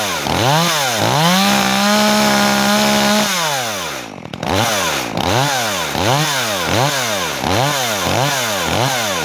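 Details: New Makita EA3200S chainsaw on first start and break-in: it revs up and drops back in repeated clean blips, pitch rising and falling smoothly with no stumble.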